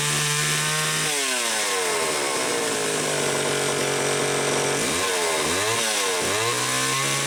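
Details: Homelite XL-500 chainsaw fitted with optional silencer muffler, test run in garage after cutting well: crisp two-stroke buzz dropping to steady idle, clean response to quick throttle blips; normal running.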